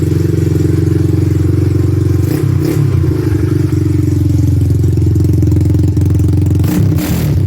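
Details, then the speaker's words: 1986 Honda ATC200X single, just started with the air filter not hooked up: loud, deep bark, steady and even with a couple of light throttle blips. Runs cleanly with just a loud pipe; normal running. "All right, man. Sounds good with that exhaust, man. Sounds all right. Little loud for a 200X, but you know, all bark and no bite probably."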